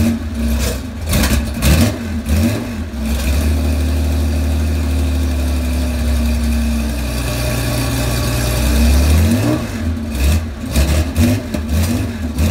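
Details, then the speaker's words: Cold start of a 35-year-old Porsche 911 SC wide body, 3.3 flat-six, M&K exhaust headers, PMO carbs: uneven blips with sharp backfire pops; smells rich, fussy until warm, cause still unresolved. "As you can see, she's a little temperamental when she's cold. Sounds like I got some backfiring going on. Smells like it's running a little rich."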